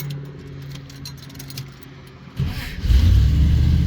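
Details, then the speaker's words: 1990 Dodge Ramcharger: key rattle, a few seconds of cranking, then the engine catches and roars up; slow to start, which the owner blames on a weakening fuel pump (suspected, not confirmed). "fuel pump's definitely getting week where it's not one to start right away"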